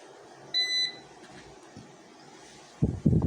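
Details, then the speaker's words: UPS (Series P1) unplugged from the wall and running on battery: one short, high-pitched beep from its buzzer speaker, followed by handling thumps; the on-battery warning. Desoldering the speaker silences it. "Okay guys, doon naman sa yan, oh, yan tunog na yan regarding sa buzzer na yan."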